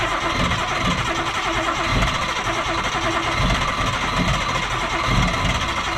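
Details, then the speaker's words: Nissan Cefiro RB25DET with donated replacement coil packs fitted: stumbling, lumpy beat with missing pulses from one dead cylinder; the spark test found no spark, caused by a cut ignition coil wire. "so patchett has just found the whole reason why this car is not [ __ ] firing and why is that this is ignition timing for thunderstorms yeah the wires cut"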